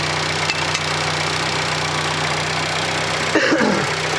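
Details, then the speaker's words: Fiat Panda 4x4 Sisley converted from carburettor to fuel injection, fuel pressure about 10–12 psi, smooth quiet idle with light quick injector ticking, which is normal; engine healthy. "hear the injector ticking which is normal"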